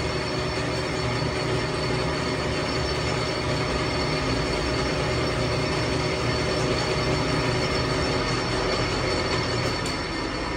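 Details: Used Nardini DT 650 lathe (2200x650), cleaned and lubricated, turning a long workpiece under cut: constant smooth hum with faint steady high tone, no knocks or grinding; running fine.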